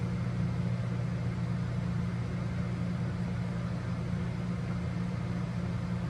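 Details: Old 2200 W Giandel inverter on owner's battery bank powering a 900 W microwave heating water for 30 seconds, voltage dropping slightly; steady low even drone, no surging, sagging or cutting out; normal operation.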